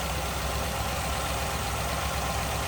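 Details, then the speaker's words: 1957 Ford Fairlane 500 Skyliner retractable convertible with V8, idling with hood open, stock-looking engine bay with power steering: low, steady rumble with an even beat, no knocking or misses; smooth runner, normal idle. "Wow, take a look underneath here. Baby is a smooth runner."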